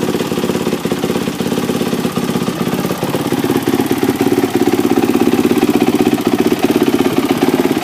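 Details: 2006 Yamaha YZ450F single after a full engine rebuild (previous engine blew up catastrophically, possibly run low on oil): crisp, even firing at a steady idle with no knocks, rattles or misses; sounds healthy.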